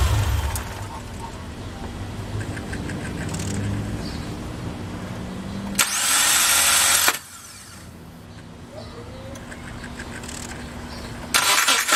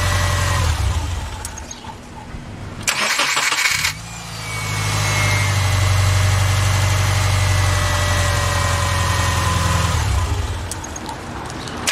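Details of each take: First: 2007 Subaru Forester cranking: two bursts of harsh, raspy grinding well above engine hum; failed starter grinding, replaced. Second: 2007 Subaru Forester after replacing the failed starter: short crank, clean catch and smooth, even idle, then shutdown and another quick restart; starting and idle sound healthy.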